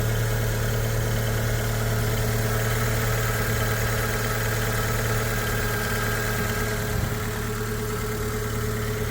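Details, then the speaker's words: 2015 (65 plate) Fiat 500, Cat S auction car listed as "engine noisy", original battery, at start-up: steady, even low hum with no knocks, ticks or rattles; idles smoothly, owner finds it not noisy. "that's not broken that's weird I would not say that was engine noisy but it's running that's the main thing"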